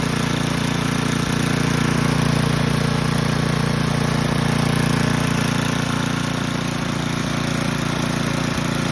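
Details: Old Toro 824 Power Throw snow blower, 8 hp Tecumseh-built engine, bought non-running, old gas drained and inline filter added: small single-cylinder engine holding a steady, even idle with constant low drone, no misses or knocks.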